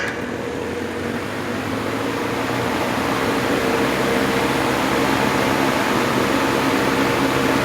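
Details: 1950s Wizard reversible box fan after cleaning and bearing oiling, run on high: steady even whoosh of air with a soft motor hum rising to high speed, no rubbing or rattle; fan runs healthy.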